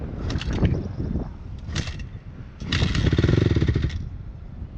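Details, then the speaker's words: Honda CRF250 dirt bike after it randomly shut off and the rear tyre locked: short throttle blips die away fast, won't hold revs; engine revs dropping quickly, possible internal engine failure. "it up again it sounds like it's really lagging yeah like when you wrap it up it revs down really quick so yeah either that or something's going on with the engine"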